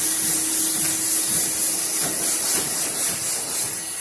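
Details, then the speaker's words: Sanding station dust extractor in manual mode: steady airy hiss with soft repeated thumps from the wand that strikes the filter to clean off fine filler dust; normal running. "that noise you hear the thumping sound is a thumper or a wand that hits the filter and cleans the filter of this fine particle"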